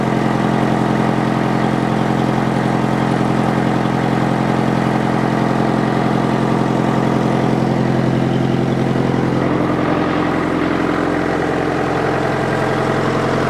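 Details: International Harvester 554 diesel tractor after about five years sitting, air filter cover off: steady, even idle near 160 beats a minute with induction roar, no knocks or misses; runs pretty clean, though owner suspects glazed bores; loose fan belt.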